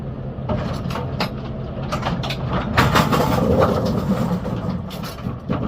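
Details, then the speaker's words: GSX pinsetter on lane six after sweep wagon shock replacement to cure a sweep squeak, pivots lubricated: irregular mechanical clatter and thumps through a normal cycle, no squeak or harsh sweep bang. "Let's turn it on now. Let's hit the reset button. Is that better? We're good. Yeah, we're good."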